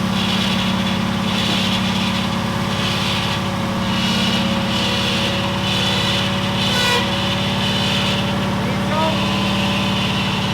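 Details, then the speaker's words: Kip's Willys Wagon with no coolant in it, run briefly after removing the power steering: a low, uneven idle that hunts and stumbles but sounds happier. Owner suspects a vacuum leak and needs enrichment fuel and timing, unconfirmed. "Happier. A little more. We can't run it for too long. We don't have any water in it, but it sounds happier."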